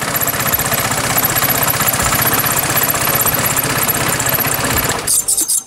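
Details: Piaggio X Evo 125 scooter running with a rough metallic rattle about four times a second from the transmission/clutch side; mechanic first suspected a broken clutch spring, but the cause was a loose central clutch nut; clutch dismantled, cleaned, reassembled.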